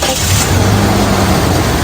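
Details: Toyota Fortuner 2.7 with an LPG system, previously stumbling and down on power on gas: after repair, which involved clearing insects from a pipe, the engine catches at once and settles into a full, steady run; healthy start.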